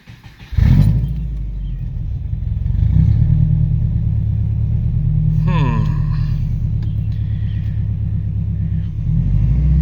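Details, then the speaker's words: Lifted Subaru Impreza GC8 after new plugs, wires and ignition coil fixed a misfire: smooth, even low idle rumble with steady beat, no stumbles, pops or shaking; formerly nearly backfired on throttle blips. "i think we found our issue this is how smooth it is now before i would kind of blip the throttle and it would like almost backfire"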